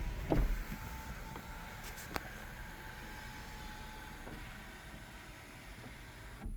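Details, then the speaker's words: Audi sunroof wind deflector motor after the free fix of pushing the deflector mechanism back: only a faint low motor hum and light clicks as the panel travels, no rattling or buzzing; normal quiet sunroof operation. "zero noise same thing when we're driving down the street because that noise actually goes while you're driving because this moves while you're going certain speeds and that's what causes the noise"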